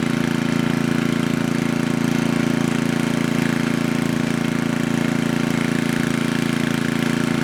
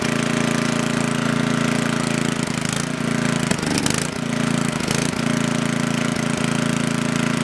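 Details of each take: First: Coleman Powermate Maxa 5000 ER generator, reassembled, after draining the carburetor and adjusting the bottom fuel mix screw. Steady, even drone at governed speed with no misses or hunting: running normally. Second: Coleman Powermate Maxa 5000 ER generator, just reassembled, runs only on half choke. Steady drone that sags and wavers as the governor hunts; it starves for fuel with the choke fully open, so a lean carburetor is suspected to need cleaning.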